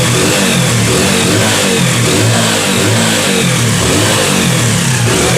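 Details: Hero Passion Xpro i3s motorcycle started after timing chain tightening to compare sound: strong, even exhaust note with smooth, clean rising revs and no tapping or rattle; the engine is running healthy, normal revving.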